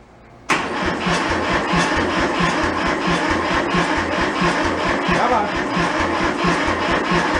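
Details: Kubota L225 diesel tractor that sat about 10 years, cranked on warm weather without glow plugs at slight throttle. It catches abruptly and settles into a steady, slightly lumpy chugging idle. Normal diesel start.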